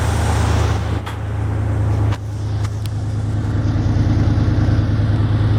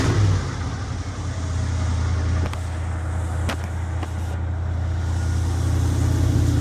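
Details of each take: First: 1975 Jeep CJ5 V8 with rebuilt 650 CFM Holley carb, PCV line fitted to stop a vacuum leak: deep, even rumble at a steady but slightly high idle, no misses or knocks; air screws not yet adjusted, small drip noted; normal idle. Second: 1975 Jeep CJ5 carbureted V8 just after 650 Holley carb rebuild, first start before warm-up, vacuum leak fixed with PCV line: steady fast idle with deep rumble, idle too high, air screws not yet adjusted.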